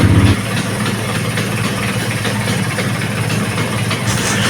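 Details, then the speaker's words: Vespa PX150 (new PX repro) started after gearbox teardown to fix a gear clashing problem: small two-stroke settles into a quick, even idle with steady buzz, no rattles or stalling; normal idle after repair. "Bismillahirrahmanirrahim nah ini motornya sudahah langsung nyala ya teman-teman ya"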